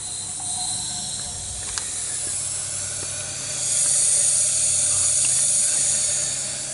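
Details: 2001 Honda Recon 250 ATV with low compression, leak-down test with valves closed: loud steady air hiss; head gasket first suspected, but teardown found a rust-pitted bore and completely worn, seized piston rings.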